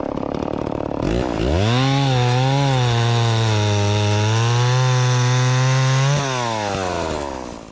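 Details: Dolmar 112 chainsaw with an 18-inch bar and sharpened chain, bought at a garage sale, fired up cold: it revs high and holds a strong steady howl through the cut without bogging, then drops back. Runs strong and healthy.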